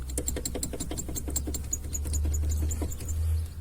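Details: 2010 Kia Cee'd brakes: quick light metallic knocks, about four a second, louder over small bumps, from calipers rattling on worn guide pins; quiet after fitting new guide and pad repair kits.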